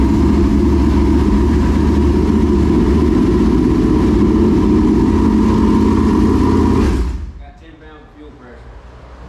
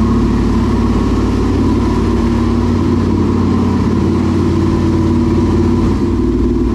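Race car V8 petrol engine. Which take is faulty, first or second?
first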